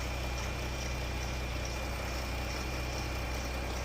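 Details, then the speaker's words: Jeep after rocker arm and lifter repair for ticking, codes reset, fully warmed up: even, steady idle hum with no ticking or tapping; normal warm idle. "Alright, let's see. I don't hear any ticking. Alright, this is how it sounds now."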